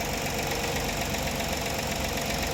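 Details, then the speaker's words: 2013 Ford Explorer 3.5 engine at idle after repair, oil pressure up from 60 to 90 psi: dull rapid knock from low in the engine tracking engine speed; noise reduced but not gone, suspected bottom-end (rod) knock. "no esta cosa no no quedó bien se le redujo el ruido pero no quedó 100% bien todavía"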